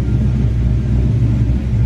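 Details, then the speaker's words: Carb-swapped SN95 Mustang V8 idling after backing the idle mixture screws out half a turn; deep, lumpy idle now steadier but still really rich; target air-fuel about 14–14.5:1. "As you can tell, it's still really rich at idle. But it does sound a lot better."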